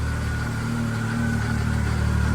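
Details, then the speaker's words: Arctic Cat 7000 Snow Pro snowmobile with Yamaha four-stroke engine, 12,053 km, now warmed up to temperature: steady, even low idle with a smooth deep hum and no knocks or misses; healthy warm idle. "Like there we go. Like now it's up to temperature."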